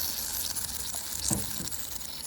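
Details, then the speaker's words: Yamaha RD400 two-stroke, engine off, crankcase pressurized for a 6 psi, 6-minute test: a faint steady hiss under handling noise as pressure drops fast. Air leaks at a likely distorted rubber carb intake boot; crank seals are a possible next step. "It's just dropping so quick. Yeah, you can hear it. Hear it hissing."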